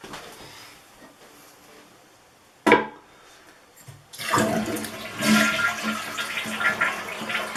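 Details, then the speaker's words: Toilet after replacing the flush valve gasket (Korky) to stop running: quick flush rush, short pause, then steady refill with no hissing or trickle afterward; normal flush and refill. "now you can turn the water back on and fill up the tank congratulations you just successfully change the gasket on a flush valve"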